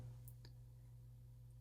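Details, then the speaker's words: Gas furnace with Gemini gas valve during manifold gas pressure check: after thermostat call, draft inducer start and hot surface igniter, one sharp click over steady mains hum as gas valve opens; normal ignition sequence. "You'll hear the draft inducer fan motor start. Hot surface igniter will come on. Gas valve will open."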